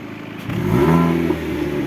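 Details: Chevrolet Cobalt revved: a loud, hollow, raspy exhaust roar from a defective muffler whose internals have broken apart.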